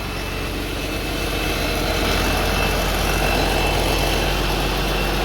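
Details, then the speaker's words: 3588 diesel just rebuilt, first run, rockers well oiled and a water hose not yet reconnected so it leaks a little water: even, steady low idle clatter with no knocks or misses. Healthy normal idle. "sounds good it's oiling good rockers got plenty of oil on them"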